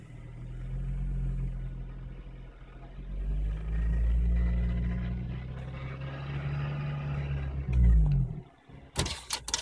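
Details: Honda Civic Si running engine: faint high whine and squeak from the engine bay over a steady low drone, mostly when the car or outside air is cold; cause unknown, recording exaggerates it.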